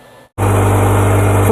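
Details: 2009 Subaru Forester, about 186,000 km, after welding a broken exhaust that made it straight-piped loud: engine settles into a smooth, steady low idle with no exhaust rasp or puffing; exhaust sealed.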